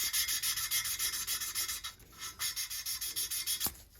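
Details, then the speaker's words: Honda GX270 small engine rebuild (was blowing smoke): lapping a valve by tapping and twisting with light pressure; rhythmic rasping about three strokes a second, rough at first then smoother as the seat mates. "You'll hear in the beginning, after I get done tapping, it's rough and then it gets smooth. See how the sound changes? And I'm just sort of, by tapping and twisting, I'm spreading the stuff around. Just light pressure going down, you're not trying to start a fire. And you can hear it's getting smoother and smoother."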